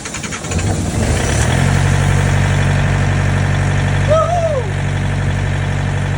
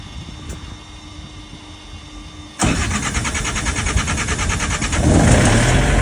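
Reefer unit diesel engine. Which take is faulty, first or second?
second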